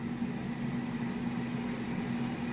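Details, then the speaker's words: Ninja AF400EU Foodi Max air fryer started air frying in both trays at 200 degrees, 20 minutes: steady smooth low fan-like whirring hum, not very noisy, no rattles or ticks; running normally. "And this is the sound it makes. It's like a fan."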